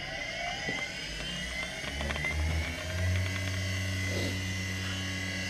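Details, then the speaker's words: Kunming KXM10 Deckel-clone cutter grinder spindle, run on a single-phase-to-three-phase Yaskawa drive with five-second soft start: tone ramps up then settles to a smooth steady high hum around 5,000 rpm (advertised about 5200), running normally. "but as you could hear it runs like a top somewhere in the 5,000 rpm range"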